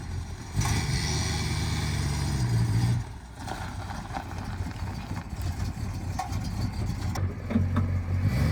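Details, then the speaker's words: 1962 Dodge Custom 880, once said to have a cracked block, after a carburetor prime: catches and settles into a steady low idle, then picks up evenly; owner doubts the block is cracked, runs really good, no longer smokes. "I don't think that the block is cracked the engine runs really good and now at this point it doesn't even smoke anymore"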